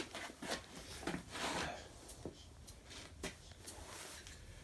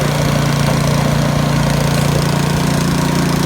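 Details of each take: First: YardWorks 22-inch 179cc snow thrower after carb float bowl work, primed and electric start: starter whirs in short bursts, then long steady crank with no firing; won't start, traced to a leaking carburetor gasket. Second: YardWorks 22-inch 179cc snow thrower found curbside, after auger belt replacement, throttle up while blowing snow; steady, even single-cylinder drone with no slipping, squeal or surging; normal running.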